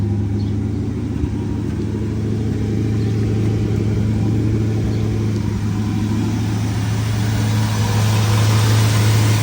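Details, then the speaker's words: 1973 Ford Thunderbird 429 CI V8, 24,000 actual miles, after revival: deep, even idle rumble holding steady with no misses, stumbles or knocks, hitting on all 8 cylinders, no more smoke. "She's hitting on all 8 cylinders. No more smoke."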